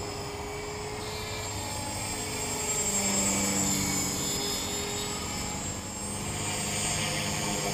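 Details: Trex 450 RC helicopter test flight after a crash, fitted with a Common-Sense RC TR450-35 3500kv 500-watt motor, 13t pinion and a smaller lipo: steady high squeal over the rotor whir throughout, pitch following head speed; bad main shaft bearing.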